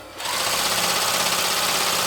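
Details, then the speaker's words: Janome Combi sewing machine/serger after tightening a loose motor drive belt: motor spins up to a steady, even, high clean whirr with no slipping or chatter; drive now running smoothly, belt in good condition. "and seems to be you know running smoothly so that's that problem sorted"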